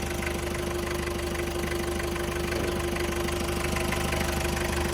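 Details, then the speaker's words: Toyota Qualis diesel at first service after 2000 km since engine rebuild, after nozzle cleaning cured black smoke; steady even diesel clatter at idle, about three beats a second, no misses, well tuned, normal idle. "എൻജിൻ്റെ sound തന്നെ ഞാൻ നേരത്തെ നമ്മൾ engine പണിത് കിട്ടപ്പോൾ തന്നെ ഞാൻ പറഞ്ഞു അതിൻ്റെ tuning കറക്റ്റായിട്ട് നമുക്ക് ഫീൽ ചെയ്യാൻ പറ്റും."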